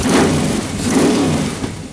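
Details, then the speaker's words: Freshly built 350 Chevy V8 with Holley carb during break-in, thermostat housing leak fixed, no leaks, no pinging; brief rev rising and settling smoothly, clean even exhaust note — normal running. "there's no leaks I could listen to the saying idle all day long"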